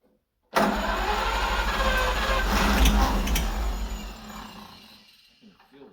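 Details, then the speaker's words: 1940s Oliver 70 tractor, first start attempt after about 12 years sitting, carburetor cleaned: starter churns the engine at about four beats a second, but it never catches and fades out; cranking, no start, engine not getting fuel. "well guys we tried for probably 15 or 20 minutes to get this thing to start but it just wasn't happening we crank it over and over and it wasn't getting any fuel"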